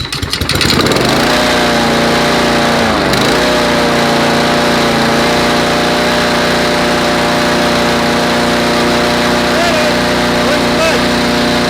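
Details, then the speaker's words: MTD 21-inch stainless push mower with Honda engine after carburetor rebuild and tune-up, rpm lowered a little: pull start catches within a second and settles into a steady, even drone with no hunting or misses; running properly now. "Didn't run like that before. I lowered the RPM a little."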